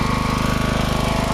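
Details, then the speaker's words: Riding mower with a component unplugged; low, choppy pounding with an uneven beat at low throttle, surging, needing choke and throttle fiddling. Rough running at low throttle, cause not confirmed. "I found that if I unhook this, I'm able to start it up, but it surges like an SOB."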